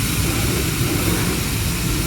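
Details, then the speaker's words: Oasis I-5 drive motor, shaft rotated by hand: rough steady low grinding rumble from worn motor bearings, confirmed not the gearbox; motor replaced and sent for rebuild. "that sound is definitely coming from the bearings in the motor not the gearbox"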